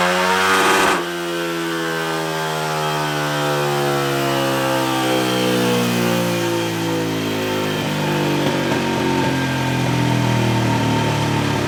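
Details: Tcb Xf-24 pit bike, Daytona 190-based 225cc stroker single (66mm piston), full-throttle dyno run after richening the needle one clip: pulls cleanly, pitch climbing steadily with no misses or knocks; carburetion sounds right; 27.8 hp, 19.9 ft-lb.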